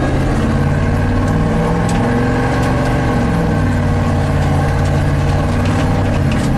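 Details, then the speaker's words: 1987 GMC 1500 plow truck V8 after ignition repair for warm-under-load misfire/stall: revs and pulls smoothly with strong even roar, no stumble or popping as EST signal comes online; running clean. "see that EST signal comes online once the engine revs up oh yeah what does Eric go see that's Chevy thunder right there"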